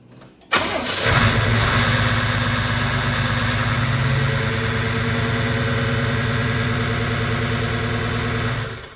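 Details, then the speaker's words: 1987 Buick Turbo T (Grand National) turbo V6, first start in 12 years after ground, electrical and solid-core spark plug wire fixes: brief crank, catches at once and settles into a steady, even idle with no knocks or misses; sounds healthy. "So after 12 years, it started up and it sounds good."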